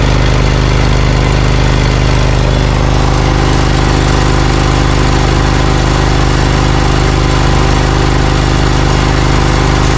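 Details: Briggs & Stratton Vanguard 20 HP V-twin on a zero-turn mower, warmed up (left tailpipe ~500°F, right 124°F): uneven lumpy drone at about two pulses a second, right cylinder not firing; heat-related misfire traced to a chewed coil wire.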